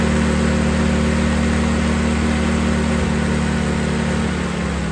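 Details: M38A1 four-cylinder at idle after a tune-up (new distributor cap, rotor and condenser, points adjusted) to cure a small miss: even, steady idle with a smooth low drone and no misses or stumbles; running cleanly.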